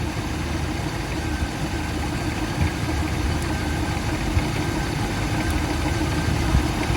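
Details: 1977 Chevrolet El Camino with a 350 cubic-inch V8, idling during an alternator test with the negative battery cable disconnected: steady, even low rumble with no misses, knocks or whine; keeps running, so the alternator is good.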